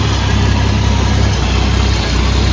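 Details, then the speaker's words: 1982 Ford F100 long bed pickup, carbureted with no choke, barely warm: deep idle thump with an uneven, lumpy beat rather than smooth rhythm; rough cold idle. "You can hear the uneasy idle because it's a little cold and I don't have a choke on it."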